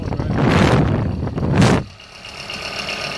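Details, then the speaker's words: Waste-oil/pellet heater blower bench-tested after the blower broke away: it spins up with a rough, uneven roar and wobbling rumble, then coasts down; corroded blower wheel, quite a bit off balance. "that wheel, very corroded. It's not as good as new at all. Quite a bit off balance."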